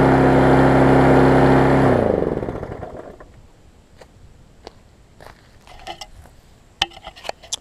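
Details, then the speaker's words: Husqvarna self-propelled mower after service and cleaning: small engine holds a high, steady pitch for a couple of seconds, then shuts off; overspeed because throttle set too high, to be turned back. "it's running a little too fast as you can tell so I'm gonna push this back a little bit kind of work on that a little bit"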